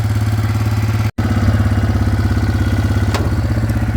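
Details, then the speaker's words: Yamaha Grizzly 600 single-cylinder after fitting a Chinese replacement carburetor, untuned and backfiring a little, possibly wrong jet size: quick steady thumping idle, too fast; needs idling down. "Oh yeah, it needs to idle down a little bit."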